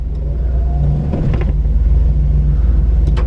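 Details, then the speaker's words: LS4 Grand Prix automatic transmission, won't shift properly: deep steady engine drone barely rising under throttle, drive not taking up hard, bogging; slightly better than before but acceleration still very sluggish. "it just isn't as it doesn't grab as hard as it doesn't reverse and it should it just feels like it's bogging you can hear it it's a little bit better"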